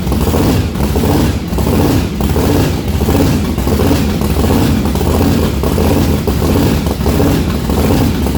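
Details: Methanol-converted blown, injected big-block V8 at first start-up: rough, lumpy idle stumbling about once a second, one cylinder not firing, fuel spraying out the exhaust; misfire, cause not yet found, owner believes plugs are fine.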